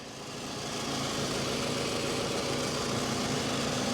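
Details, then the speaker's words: 2007 Toyota RAV4, 180K miles, salvage title, idling at auction: steady, soft hum with no knocks, misses or rattles over a faint hiss; smooth, healthy engine with no exhaust leaks, though the battery needs replacing. "that thing's about as smooth as you can get [Music] yeah sounds good plenty of room back there"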